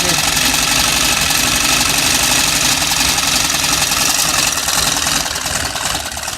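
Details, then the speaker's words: Antique sewing machine: busy, even whirring and clatter at steady pace, no catching or grinding; it's a little old but still works and can sew. "But I mean, it still works. I can still sew with it."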